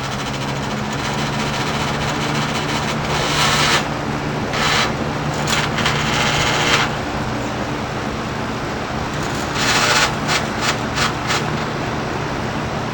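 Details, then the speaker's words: 1984 Galaxy 3713 box fan with plastic motor housing, running on high: steady low motor hum with irregular buzzing rattle bursts about every second; owner suspects a loose grill needing tightening. "May have to tighten the grill up because that noise was."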